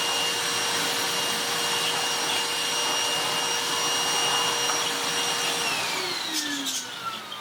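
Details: Restored Goblin Solo vacuum cleaner with a sealed bag door: strong steady high whine with a full rush of air, falling away at switch-off; it runs normally with good suction.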